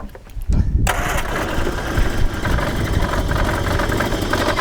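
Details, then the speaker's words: 1978 Triumph Spitfire 1500, revived after years sitting, running during distributor timing adjustment. It idles uneven and lumpy with a wavering beat. "cuz that's rough that is rough"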